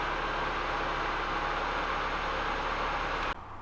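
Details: Nissan Micra 1.2i after replacing faulty camshaft position sensor (P0340), clean 0-5 V Hall square waveform: steady, even idle, smooth constant hum, no misses, knocks or stumbles; normal idle, crank-no-start fixed.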